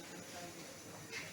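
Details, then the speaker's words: Gas welding cylinder main valve, leaking on opening, e.g. on a refilled cylinder: steady, thin, rhythmless hiss from the loose top nut. Fix is tightening it with a slide wrench; if the leak persists, the washers or the main valve may be faulty. "সাথে সাথে দেখবেন যে এখানে leak করে। বুঝতে পারছেন?"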